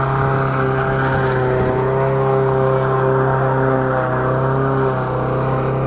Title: косилка после ремонта